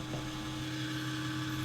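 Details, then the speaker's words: Noisy PC case fan before fixing without replacement: a steady droning hum with low buzz and faint higher whir, louder than a healthy fan; fix is opening the PC and pressing on the noisy fan. "saya mau bagiin tips simple untuk di video ini cara perbaiki kipas yang berisik"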